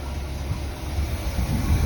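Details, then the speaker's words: Chevy C10 farm truck, just started after new exhaust and tune-up (previously ran poorly): low, quiet, even burble, no skips or misses; smooth, healthy idle. "You can hardly hear it. Woo! I love it. I didn't want this one to be a loud, obnoxious one. Nice and quiet. Boy, it seems like he's running nice and smooth."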